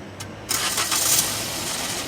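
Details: Maruti Swift (stated 2017 model), started with the clutch released, when no noise comes: a short crank with a quick clean catch, no starter grind or lingering whir, then a steady idle; normal start.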